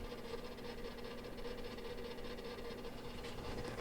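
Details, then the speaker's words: GE/Hotpoint side-by-side refrigerator, ticking grinding complaint from top of refrigerator section, heard with cover opened: steady hum with faint rapid ticking grind from the defrost timer gears. "okay we're going to go ahead and open it up and you can hear the the grinding"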